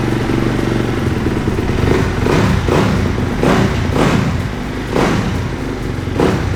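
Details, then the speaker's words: 2010 Honda CRF250, cold, not started in 2 days, on choke; even single-cylinder thump at fast choke idle with a few throttle blips, firing steady and clean; normal cold idle. "The bike is cold. It has been started in like 2 days. Let's give it some choke. Let's hope it starts."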